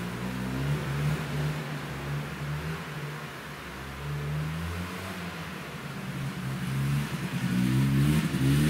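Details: Yamaha Bravo 250 snowmobile, after cleaning Keihin carburetor that had bogged on throttle once warm: revs climb and fall with rising buzzy pitch, no stumble or bog; normal acceleration.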